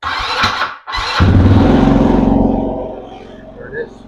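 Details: 200cc Chinese quad, in neutral with brakes on, after fixing fuel problems (tank cleaned, pinholes welded, new carburetor, new battery); short crank, catches at once, revs briefly, then settles to a steady, even idle with no misfire.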